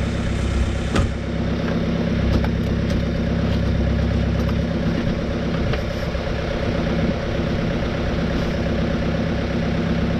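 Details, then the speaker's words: 2018 Chevy Cruze 1.6L turbo diesel (Gen 2) idling after a fuel filter change and three priming cycles: even diesel idle with a steady low clatter and no misses; the fuel circulation noise in the filter has stopped and no leaks are seen. "has stopped now cars still running the same and not seeing any leaks I think we're done here"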